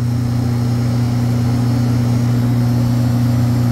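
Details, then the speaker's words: Walk-in freezer condensing unit, three-phase at 207 V, compressor very hot: heavy steady low drone with a strong buzz above it, no cycling or relief; compressor humming hard under strain. "That compressor sounds like death right there."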